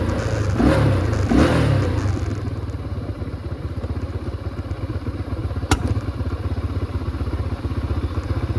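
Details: 2005 Can-Am DS650 big-bore quad, just revived, restricted muffler: even single-cylinder thumping at about four beats a second, pulling cleanly after a brief rev; runs pretty good, not as powerful as expected; normal running.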